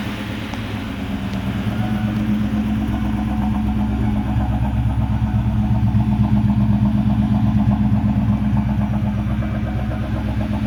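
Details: 1996 Mustang GT with a rebuilt Cobra engine under 1500 miles old (forged rotating assembly, aluminum block, Cobra B heads and cams, tuned): deep, even V8 burble swelling smoothly with throttle, no ticks or knocks; healthy.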